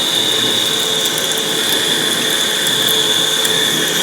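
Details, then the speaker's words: Lathe boring an aluminium geophone encasement: steady, piercing high-pitched squeal throughout the cut; the boring tool is chattering, running a little fast, and operator thinks cutting fluid isn't reaching the cut once chips come out. "that I'm worried about chatter marks because i'm going to just that I'm worried I'm a chronic worrier it is shattering that sweet screeching noise is not something I am happy to hear"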